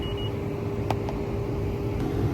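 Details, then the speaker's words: Old cooler with press fittings installed, topped off slightly low on refrigerant: leak detector gives a steady continuous alarm tone over background hum at the service port, suspected leaking cap/gasket; tech says significant leak, plans to replace it and cap. "yeah it's a significant leak"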